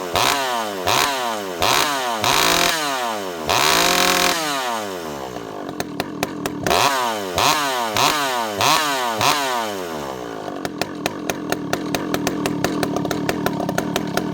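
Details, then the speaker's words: Rebuilt ported Stihl 064 whose low jet previously wouldn't tune, fitted with a new carb, warming up after a dry start: crisp rev bursts about every 1.5 seconds, each dropping back cleanly, then a steady crackling idle; runs healthy. "Notice it goes back down to idle very consistently, very quickly. It idles nicely."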